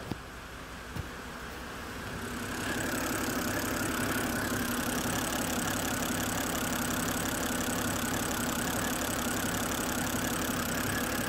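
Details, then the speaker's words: 2011 BMW 328i E93 N52 after engine replacement, first run with no cooling system fitted: catches and settles into a smooth, steady idle with no knocks or misses; no check engine lights and no fault codes other than gearbox oil wear. Normal idle. "this thing's running beautifully yes we have an E90 again"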